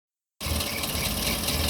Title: Land rover series 3, before the repair of the camshaft rollers. Terrible rattling noise